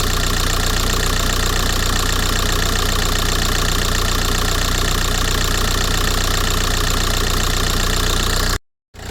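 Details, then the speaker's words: VW Golf 4 TDI diesel, which had shaken as if on three cylinders, just restarted after repair with cover refitted: steady, even smooth idle clatter with no stumbling or missed beats; vibration problem fixed. "Ah, le problème est réglé. Vous voyez? Ça tourne bien. Hein? Ça tourne bien."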